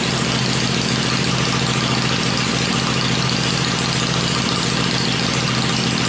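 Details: Freshly built 96-inch V-twin with Edelbrock heads on an engine run stand, cycled through revs before going in the bike; stand shakes at lower revs; steady, even fast idle, no knocks, ticks or stumbles; normal idle.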